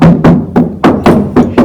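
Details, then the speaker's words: 1951 Ford pickup cab roof after KILMAT sound deadening sheets (about 11–12) were applied; tapping gives seven dull knocks that die quickly with no tinny "tin can" ring. Roof panel well deadened. "it doesn't have the tin can sound to it when you tap it"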